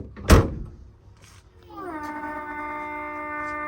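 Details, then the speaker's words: Brabus trunk lid after latch adjustment: a sharp thunk as the lid shuts, then the small soft-close pump hums up to a steady buzzing tone; the soft-close pump works properly. "So you can hear that the pump does in fact work, but I spent literally 2.5 minutes adjusting the panel gaps."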